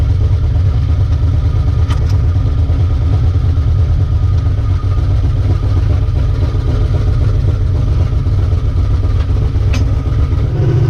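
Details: Ricky's 750 blow-through carburetor on a V8, with a 6.5 power valve, no pump shot, under test: a steady rumble holding an even beat with no stumble, pop or hunting; best it has run so far, normal running.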